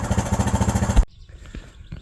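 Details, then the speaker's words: Four-wheeler with failed starter solenoid, run to prove the starter is good: quick even single-cylinder putter for about a second then shut off; steady firing, not rough, a healthy runner. "There it is. She's a runner. All the wires are good. Starter's good."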